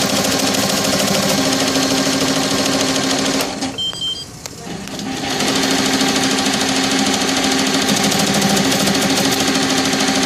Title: TAJIMA TFMX C1501 making rattling sound